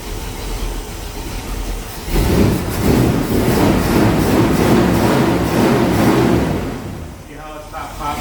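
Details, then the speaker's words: 1973 Pontiac Ventura, rebuilt 350 Pontiac V8, replacement carburetor after four-corner idle screws were set and mixture richened: catches and settles into a steady, even idle rumble with no popping or spitting; normal idle. "I definitely fattened it up I can smell it now"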